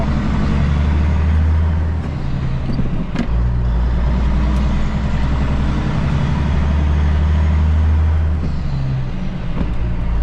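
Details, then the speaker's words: Cabover diesel truck pulling away under load at night with new alternator belts: deep rumble with no squeal or chirp, the belts sounding quiet and healthy, though the driver says they squealed a little when he revved it while sitting. "what I'm talking about. Maybe they might be a little bit, but They don't sound bad."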